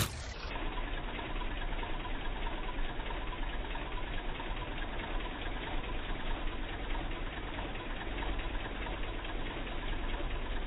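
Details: 2006 Honda Accord V6 manual at a low, rough idle with an uneven stumbling pulse and engine shake from a persistent small misfire; spark plugs and coil changed, EGR, manifold and throttle body cleaned without fixing it; crank sensor suggested as the cause.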